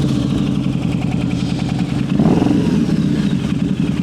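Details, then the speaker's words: Harley V-Rod, at idle on the dyno after clearing codes, before baseline runs: uneven, loping idle with skipped firing pulses. Misfire, later traced to wrong, loose spark plugs. "It's like it's loping. Yeah, I won't lie. I'm getting a little nervous."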